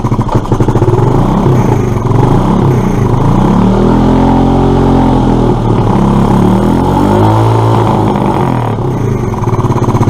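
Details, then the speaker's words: Suzuki Address scooter investigated for poor running, air filter removed: revs blipped up and down, rising and falling a little unevenly, with GT85 burning off; uneven revving expected without the filter, throttle body cleaning next. "they're not obviously it's not going to run right without the air filter"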